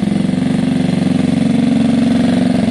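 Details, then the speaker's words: Gilera DNA 125 scooter, warm, after a carb upgrade and idle tuning: an even, regular burble at a settled idle with no stumbles or surging; the bike runs very happily now. "that's it guys the bike's very happy very very happy now"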